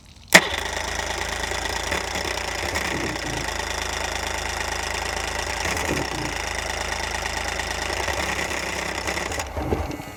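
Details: Dead outboard, running on flush muffs, being started: uneven two-stroke sputter nearly catches for several seconds, then fades; getting close but not firing cleanly yet.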